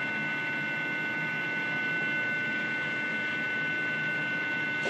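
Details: 1959 Philco Predicta Holiday 21-inch tube TV under restoration, signal injection with the generator on its lowest range: steady high-pitched buzz with fixed tones over hiss; possibly overdriven, with poor sync.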